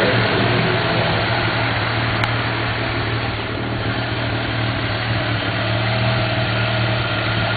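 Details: 1991 Mazda RX-7 NA rotary, street-ported, with headers and possibly a Racing Beat cat-back: uneven, lumpy idle with occasional sharp exhaust pops from afterburn. Owner doubts a vacuum leak; cause unknown.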